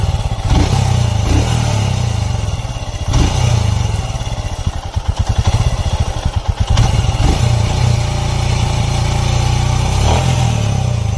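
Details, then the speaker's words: Royal Enfield Himalayan at idle: steady single-cylinder thump with a "kit-kit" ticking clatter from tappets out of adjustment, a common problem on this bike; the fix is tappet adjustment, and if left unadjusted, mileage suffers. "ये आप सुन सकते हैं engine का जो sound है किस तरीके से kit kit kit kit kit kit की आवाज़ आ रही है। और ये टैपिट की जो एडजस्टमेंट होती है जब वो आउट हो जाती है वो साउंड होता है ये।"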